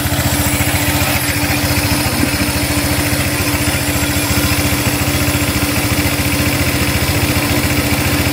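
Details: Honda Click 150i scooter, steady even putter at idle with no misses, knocks or hunting; running normally.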